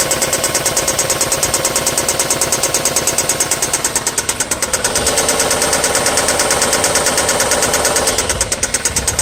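Steady idle with a crisp, even tick about three times a second riding over the engine; could be valve tick or knock, cause unclear.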